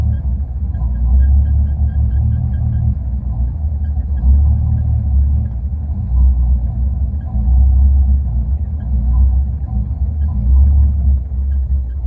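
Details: Engine at idle: deep rumble swelling and sagging unevenly every few seconds, hunting rough idle; cause not pinned down.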